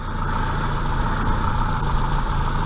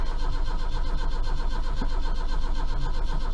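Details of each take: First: Austin Maxi at idle, first start after about three months laid up: a steady, even low hum with no misses, knocks or ticks, running smoothly like a little sewing machine; slight oil drip from a crank seal noted, clutch still needs doing. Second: Austin Maxi, first start after about 3 months sitting: long starter churning at roughly four turns a second for over eight seconds with no firing; slow to start, owner suspects the points need cleaning.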